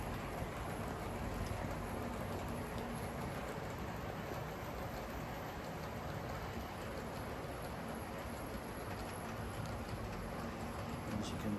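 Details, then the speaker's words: Dapol class 59 model locomotive pulling 13 JHA wagons at about one-third power: constant grainy whirring rattle with no rhythm change; noisy drivetrain but coping well with the load. "certainly hear, it's quite noisy. However, coping very well."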